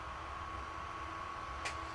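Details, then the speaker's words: Behringer NU1000 audio amplifier after repair (shorted diode and transistor replaced; before, it blinked and shut off): just powered on, steady airy whir of the rear cooling fan blowing air out with faint hum, no rattle; normal running. "Il fait sortir l'air. Parfait, c'est ce que je voulais."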